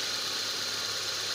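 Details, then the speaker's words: Toyota Corolla petrol engine idling smoothly and quietly after repair of a no-start and stalling problem, with spark plugs already new, four new high-tension cables and new part fitted; charging about 14.4 V. "So ayan Yan, umandar na siya guys. So okay naman yung andar niya. Tahimik."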